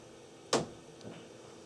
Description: When flushing toilet in Powder room, we can hear the water hammer noise from the bottom hole cut in Laundry room wall.